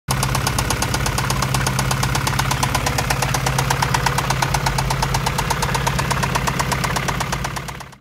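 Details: Acura Integra with B20 VTEC swap: loud, sharp metallic knock hammering steadily at idle, rod knock.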